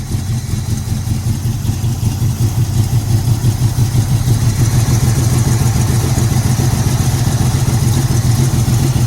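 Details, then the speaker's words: 1981 Cutlass with a 403 V8, unstarted for 2–3 years, parked leaning downhill with about 1/8 tank after 2.5 gallons added and fuel poured down the carburetor: steady starter churning at about three turns a second, never firing. Fuel possibly not being picked up. "So we're gonna take the inlet off and see if any fuel is gonna come out as we're turning it over. We need it to pick up fuel."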